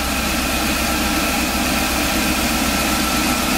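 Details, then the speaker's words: Wheelchair-lift van engine, visibly vibrating at the head: lumpy shaky idle with an uneven pulse, like a half miss; code 3057 secondary circuit malfunction on cylinder 7; misfire from unplugged coil connector. "Well, I can see it in person, but it's hard to see on camera. Yeah, it's like a half a miss."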